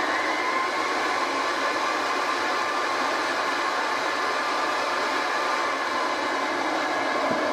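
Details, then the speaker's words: Hoover 725 upright vacuum cleaner from about 1930, roughly 300 watts, overhauled, motor only cleaned, run without handle: smooth, even whirring rush at steady pitch with no rattles or surging, healthy and powerful. "Did you hear how beautifully smooth that runs? And it's really powerful."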